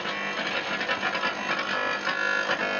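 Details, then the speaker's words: AM radio placed near a 12kW (36kW surge) low-frequency pure sine wave 48V-to-230V inverter under bench test, drawing about 11A at ~50V from full batteries: steady raspy electrical buzz with a tinny edge, suspected inverter RF noise, not confirmed. "that sounds like inverter s noise to me"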